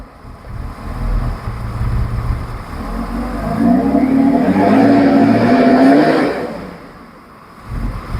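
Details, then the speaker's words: Engine restarted after about four and a half hours sitting, new clutch fan just installed: revs up and eases back with a strong rush of fan air swelling over the rise; fan pulling much more air, working as it should. "I could tell the I could tell the difference in the sound of the fan. It's sucking a lot of air."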